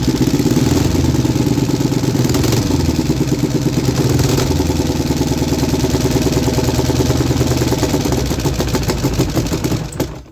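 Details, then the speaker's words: 3D-printed inline two-cylinder four-stroke engine, after the PCV valve fix and carb sync: small twin fires in an even, lumpy beat and picks up cleanly with throttle before shutting off; normal running and revving. "I feel like it kinda sounds like a V-twin."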